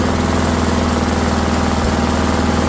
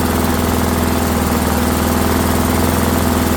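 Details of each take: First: Rally lawnmower engine just started after repair: steady, even drone with constant pitch, little vibration, no knocks or surging; running normally but a little fast before idle adjustment. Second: Discarded Rally lawnmower, small single-cylinder engine just started after repair: fast, even drone shifting up in pitch midway; sounds like it's running a little fast, idle to be adjusted.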